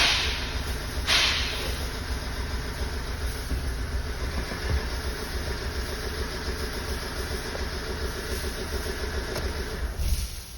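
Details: Ford engine running smoothly at a steady, even hum with no knocks or misses after a no-start with code P0606 (PCM processor fault). A donor ECM did not help. Normal running.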